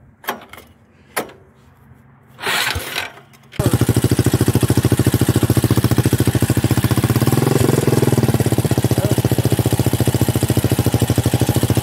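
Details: Buggy build engine, long unused, after first run: a few attempts then catches into a fast, choppy idle that wavers and stumbles; rough running, owner suspects low oil and long disuse, not confirmed.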